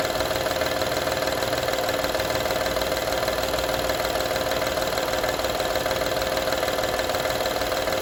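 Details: 2012 Honda Odyssey engine at even idle: constant light tinny rattle, roughly three taps a second, steady throughout; engine rattle at idle, cause unclear.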